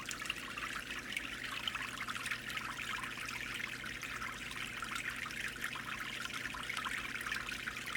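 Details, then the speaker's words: DIY water filter, progress report after modifications: steady, bright, continuous splashing trickle of water with no pauses as the outlet runs; looks good but is considered a little loud. "And he likes the look of it, but he thinks it's a little loud."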